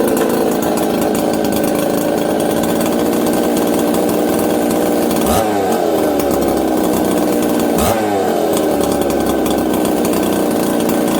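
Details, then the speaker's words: Husqvarna 266XP chainsaw, stone-cold start with a swapped-in rebuilt Tillotson carb from a 385 (low jet 3/4 turn, high 7/8): steady, even idle with two clean throttle blips returning to a settled tickover; normal idle. "here's a legit here's a legit cold start of this saw okay hey okay listen how it just settles down idle and goes about his business"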